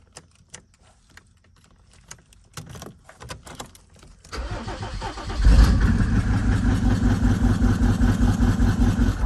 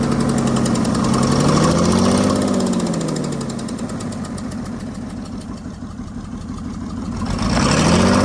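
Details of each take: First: 1996 Mercedes-Benz G300 OM606 diesel, bought non-running, after debris fell from the intake manifold/EGR area: faint clicks, then it catches at once into an even, steady idle clatter with no misses. It now starts immediately every time. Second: 1996 Mercedes-Benz G300 with OM606 diesel, bought non-running, clatters at idle with a wandering, uneven beat that sags and recovers after a crank position code; glow plug error code present, EGR clogging intake runners noted; cause unconfirmed.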